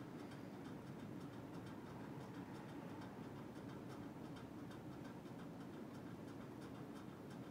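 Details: NuTone Hugger 52-inch ceiling fan on high speed: quiet whoosh with a faint, fast, regular tick; unsure whether it made this noise when first tested, source not pinned down.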